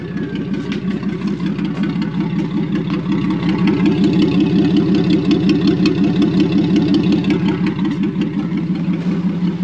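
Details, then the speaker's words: 1949 Chrysler straight engine after fixing a misplaced points spring that floated the points at about 2,000 rpm: even, steady idle, rev, then drops cleanly back to idle with no problems. "that sounds pretty yeah it goes right back to idle with no problems"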